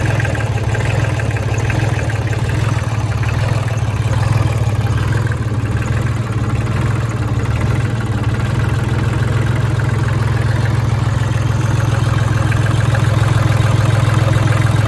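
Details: 2003 New Holland TC29D diesel tractor, sat about three years, new battery, injector lines cracked; steady, even diesel clatter with deep low rumble, no misses or knocks, idling smoothly.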